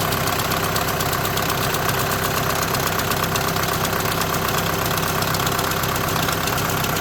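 A fast, uneven buzzing rattle over a steady idle, about two a second; likely dual-clutch plate or bearing chatter, unconfirmed.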